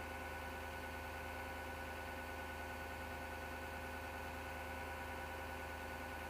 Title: PC Grinding Noise 07.03.2019 Part 3